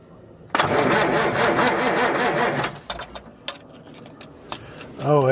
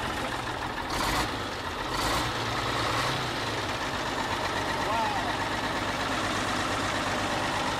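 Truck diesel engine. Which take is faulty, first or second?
first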